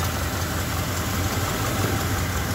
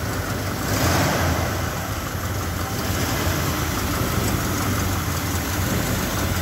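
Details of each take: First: 1970 Ford F100 original factory 302 cubic inch V8, automatic: idles with a steady, even low burble, no knocks or misses, almost like new except for an exhaust leak. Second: Original 1970 Ford F100 Sport Custom with factory 302 V8 and automatic, started up: steady deep even rumble, sounding almost new, with a faint raspy edge from an exhaust leak.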